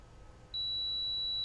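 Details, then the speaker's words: Cen-Tech 61593 digital multimeter on continuity/ohms setting, probes touched to both ends of a removed fuse: after a quiet half second a steady high-pitched chirp holds as the reading drops near zero, showing continuity, fuse good. "So when we do that, our DMM is going to read it. And if you can hear it, it started chirping. Well, what that chirp means, and if you've noticed the the numbers, it starts reading a very, very small number."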